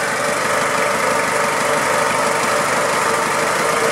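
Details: 2000 Toyota Hilux 5L diesel idling evenly, timing belt and water pump already replaced: light rattle like a bearing in time with the engine plus faint whizzing note; source not pinned down.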